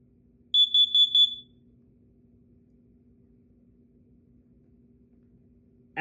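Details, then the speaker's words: Kidde KN-COEG-3 explosive gas and carbon monoxide alarm, 120 V AC plug-in, in test mode: four quick, piercing, very loud high beeps, then quiet; the test pattern works normally. "you can see, this thing performed its test. The alarm operation was good and this unit was insanely loud"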